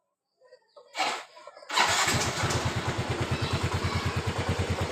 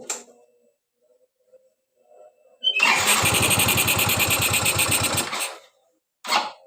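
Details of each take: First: Yamaha Mio Z (Mio M3 125) scooter after throttle body cleaning with carb cleaner, which fixed stalling at low throttle: engine catches after a couple of cranks and settles into a steady, even idle about three firings a second, no stumbling or dying. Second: Yamaha Mio Z (Mio M3 125) injection scooter that stalls at low throttle, restarted after throttle body cleaning: fires and runs about three seconds with an uneven, lumpy beat, then cuts out; idle still not settled; unstable idle.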